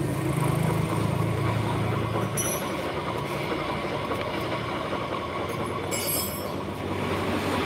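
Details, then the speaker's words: Motorcycle CVT with the pulley turning at rest: steady rough grinding rumble, no clean tone; worn pulley bearing, distinguished from a gearbox bearing which grinds mainly under load. "ke belakang muni ke depan muni ini pertanda apa ini lahar puli bos jadi lahar puli itu pada posisi diam kayak gini ini bunyi Bos"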